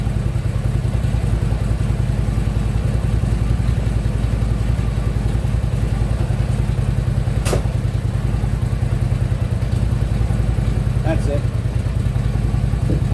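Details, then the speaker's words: Harley Ultra Limited V-twin idling after new compensator fixed the banging: dull knock about three times a second from the lower end, heard from a distance; source not pinned down. "Something knocking a little bit, but it's not on this side. Let's see if I can't figure it out. Yeah, I can even hear it from here."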